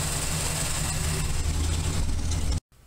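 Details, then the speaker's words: 1981 Camaro Z28 V8, about 200 miles, after valve adjustment: uneven loping idle with occasional stumbles about four a second, a cylinder dropping out; owner suspects spark plugs, not confirmed. "Kinda. I think we still got a miss. Not sure what that is."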